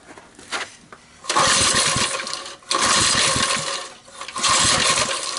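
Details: 1971 ARCO mini bike, 3 hp Briggs & Stratton single, oil topped up, running on a shot of starting fluid: catches in bursts, a second or two between sputtering stops; has compression and spark, carburetor condition unknown, choke and governor tampered.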